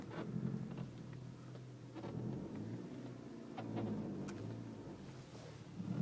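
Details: VW Scirocco 2.0 TSI 211 PS with manual gearbox: a low drivetrain rumble swells and fades with each throttle on/off, with a brief creak or clunk on transitions. Gearbox noise, cause unknown.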